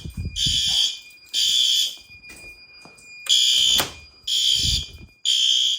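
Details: Fire alarm test in a house and garage during November testing: a shrill high tone in repeating bursts about a second long with short gaps, clear and consistent; the alarm sounder works properly.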